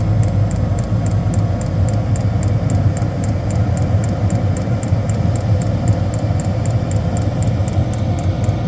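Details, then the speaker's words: Diesel heater newly installed in a bus, first start-up: the fuel pump kicks in with fast, even ticking, then it ignites and the fan speeds up into a steady low rumble. Normal diesel heater start-up. "And we should have the fan speed come up considerably more. And it sounds like it's just ignited now. Spawning up. Slowly picking up the pace now."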